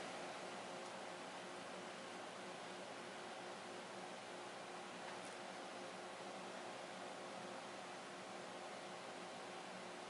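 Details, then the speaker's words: Electrolux MEF33 220V microwave after repair of its unresponsive buttons, run through an autotransformer said to be underpowered: steady, even hiss and hum from the cooling fan and magnetron, no buzzing or arcing, during a 17-second heating test; heating normally. "vento iraque refrigerando magnetron esquentando esse bicho 17 segundo"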